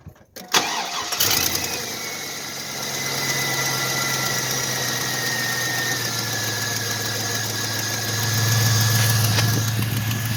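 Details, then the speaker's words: 1999 Chevy Silverado 5.3 starting: cranks, catches and settles to idle with a light fast tick about three per second from the front of the truck, an exhaust manifold leak, not timing chain slap. "you guys sit here as you guys can hear the ticking that's coming from the front of the truck that it's not like a timing chain slap from like a 5-4 Ford or something like that that is a manifold leak from a from a 5.3 right"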